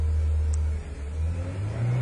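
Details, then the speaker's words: 1997 Ford Ranger 4-cylinder with hard start, no power and backfiring, kept alive on the throttle to warm it: a low hum sags and nearly dies, then recovers. Unstable idle; vacuum leak or fuel problem suspected, not confirmed. "it just won't hold the idle unless i stay on the gas so i'm going to go ahead and do that and try to keep it warmed up"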